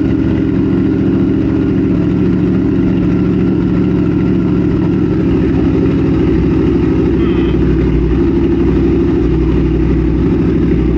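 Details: 2022 Triumph Speed Twin 1200 with British Customs X-pipe, newly fitted Cone Engineering shorty mufflers, custom tune, warming up: deep, loud, constant drone at a lumpy idle; barely baffled mufflers, almost too loud.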